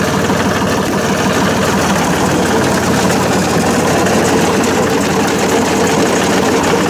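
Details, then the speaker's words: John Deere 47 snowblower after reassembly, run at low speed: steady even engine drone with a faint busy chain clatter underneath; it runs smoothly and better than before, just a bit noisy from the back. "I think that's better. It still sounds a little loud, but actually a bit of noise coming from back here."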